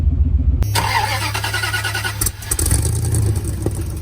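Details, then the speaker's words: Chevy 3500 truck: cranks and catches, then idles roughly with irregular pulses and a wavering beat; rough running, failing fuel pump suspected, fuel gauge stuck reading full, tank to be dropped. "so as you can hear the Chevy is running a little rough"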